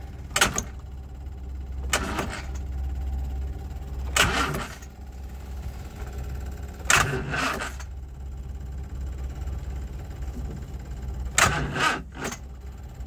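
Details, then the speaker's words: 1969 Bedford CF1 Dormobile campervan, parked over 5 years, running on gas: sluggish, labored cranking in separate bursts with clanks between tries, never fires; owner suspects seized engine or dodgy starter, unconfirmed. "that's either um a seized engine or a dodgy starter I really don't know how this thing works"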